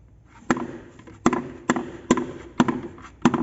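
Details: 2004 Fiat Palio rear suspension: six sharp hollow knocks in under four seconds as the suspension works, the shock hitting with its bump stop missing; fix is the mount and bump stop kit.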